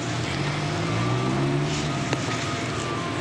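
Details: G390 petrol generator engine, after a repair for surging revs and reassembly: a test run drones at a steady speed with no surging or hunting, now normal.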